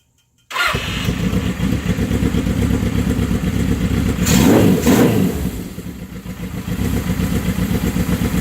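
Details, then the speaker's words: 1979 Suzuki GS750 four-cylinder with rebuilt carbs, after an idle-knob adjustment at first start in over a year: it catches and settles into a strong, crisp run with a clean blip of revs and a steady return, running healthy. "Oh, that's strong. That's the best she's had in years, man."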